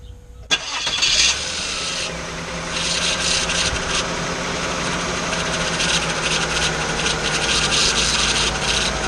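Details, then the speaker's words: 2002 Mazda Millenia just after power steering pump replacement, first start: engine catches and idles with a low steady groan; the pump sounds upset, likely dry or starved of fluid, suspected, not confirmed. "Alright, she does sound a little upset, that pump."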